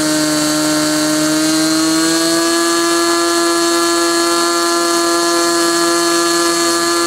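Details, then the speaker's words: Small glow engine (SIG Kadet LT-40 model aircraft) during break-in, after needle set about one and a third turns; high steady buzzing note rising slightly then holding even, no misses or sag, running smoothly and cleanly. "so what you're going to see next is the remainder of that video after it was running and running smoothly I turned it back on and uh let it run for a while"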